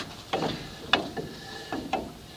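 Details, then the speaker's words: 1988-1998 Chevy K1500 Silverado drum brakes after shoe installation and adjustment: hand-spun drum gives soft scattered scrapes and clicks, no grinding, just the slight shoe drag that is wanted. "all right now I have this adjusted where there's just a slight bit of drag that you can hear"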